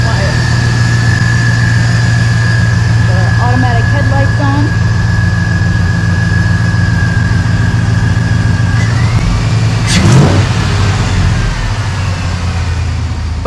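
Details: 1986 Chevy C10 with a swapped 6.0 LQ9 V8 and 4L80E transmission, filmed under the hood: a deep, even idle holds a steady rhythm with a faint constant whine and no knocks or stumbles; normal idle.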